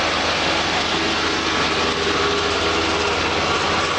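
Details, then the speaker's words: Davis hammer mill and mixer combo, very little use with factory belts and unturned knives, being slowly engaged on the PTO: a loud, steady rushing roar with no knocks or surges as everything spins up smoothly. Normal running. "so we slowly engage the PTO and they'll start everything turning thumbs right along I'm very smooth"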